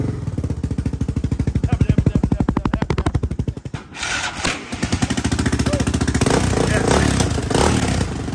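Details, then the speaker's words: Yamaha Raptor 660R single-cylinder ATV after top-end work, fed fuel by funnel. Sharp, regular puffing pops keep time with idle and quicken with revs; exhaust leak from the missing small copper exhaust gaskets. "little exhaust gaskets bro that's what you're hearing"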